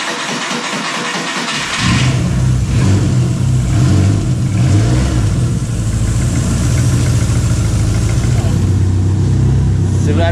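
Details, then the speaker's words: Chevette on stands, jump-started, engine cranks and idles with a fast metallic rattle; exhaust pipe vibrates and knocks against the gearbox housing. "realmente encostando aí com a vibração do carro ele fica vibrando e batendo na carcaça"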